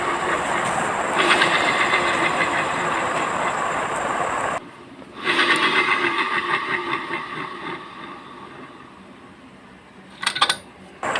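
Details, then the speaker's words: Yamaha Mio J CVT: rough, gritty grinding from the rear pulley area while it spins, dropping away when it stops. The noise vanishes with the pulley removed and returns when it is refitted, pointing to the pulley's small bearing and needle (bamboo) bearing. "Nah, nah ketika dipasang kembali suaranya pun terdengar kasar kembali ya."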